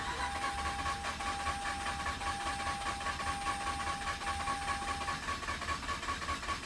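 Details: 2006 Mazda RX-8 that shut off while parking, after reseating a connector that clicked: even cranking for seven seconds, no firing, no change in pace; battery reads 12.1 V, owner thinks it needs charge.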